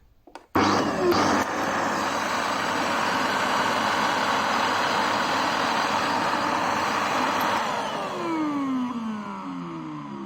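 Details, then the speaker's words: Vacuum cleaner motor with scattered (failed) bearings, balls found fallen inside; harsh rasping grind and friction with crackling, burning smell reported while running; bearings to be replaced. "arkadaşlar normal çalışmasının dışında bir ses geliyor bilyaları dağıttığı için hem böyle bir sürtünme sesi geliyor içerisinden hem de hırıt bir ses geliyor"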